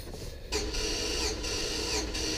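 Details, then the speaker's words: Chevrolet Tahoe cranked on the starter with all spark plugs out during a compression test at a tune-up: fast, even whirring with no drag or skipping, the engine free-spinning without load; cylinders reading about 165–195 psi. "the other thing is all the plugs out there's no load on the starter so it's pretty much just free spinning the motor"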